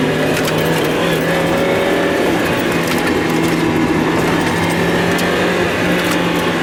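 Steady low engine drone that briefly drops out and wavers a couple of times in seven seconds; a stumbling misfire, cause unclear.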